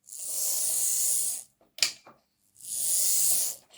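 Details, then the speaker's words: Lima Class 55 Deltic model locomotive after a suspect gear, louder in reverse, was cleaned up and filed, run on battery: short runs of even, smooth hiss with no gear knocking; running cleanly after repair. "Let's see what this sounds like with the battery. Yeah, see, that sounds better. Yeah, that's better."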